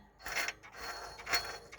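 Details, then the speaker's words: Daihatsu Sirion that overheated, belt removed, water pump pulley turned by hand: dry gritty rasping from the worn water pump bearing; pump found badly rusted and replaced. "That's not right. You can even hear that bearing."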